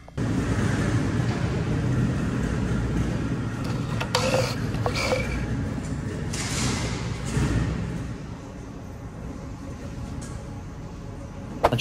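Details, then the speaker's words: Mini Cooper with cylinder 4 misfire from failed Valvetronic (worn eccentric shaft receiving part), running with Valvetronic disengaged: steady even engine note, no stumble; no misfire, runs great. "so as you can see without Val dronic engaged it's no misfire and it runs great"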